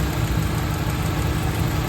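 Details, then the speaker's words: 2000 Honda City, manual, idle fluctuating high and low, distributor timing being adjusted: steady low idle rumble with slightly uneven surging note, idle not holding steady. Hunting idle. "Pwede to baba magbawas ng hangin pero bababa lang ang menor nito. Pero yung gigil niya hindi mawawala yan."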